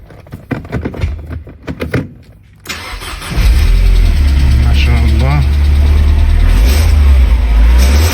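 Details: 1995 Mercedes E220 2.2i W124 Cabrio: starter catches after a few seconds and settles into a smooth, steady, even idle with no misses or knocks.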